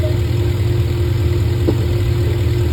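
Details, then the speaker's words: 2005 Cadillac Escalade EXT V8 after repairing a broken heater hose connection and refilling coolant: deep, even idle with a smooth steady rumble, no knocks or misses, and no leaks. "Okay, the truck's running. We filled it up with coolant, and there's no leaks."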